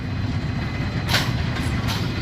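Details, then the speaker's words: Brunswick A2 pinsetter with a recently replaced cycle solenoid; the complaint was no cycling on first ball. Ball detect beam tripped again: low steady rumble with short hissing bursts as the cycle starts. A normal cycle. "It cycled. Waiting on pins. There you go. Again, trip the ball detect beam. And she cycled."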